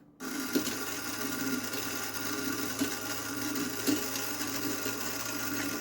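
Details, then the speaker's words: Demolition Man pinball elevator mechanism motor, tested while detached from the elevator after fixing sluggish movement: small electric motor whirs evenly with a few faint light ticks, no grinding or binding; it now spins freely. "that's moving moving beautifully look at that that is completely free and clear now"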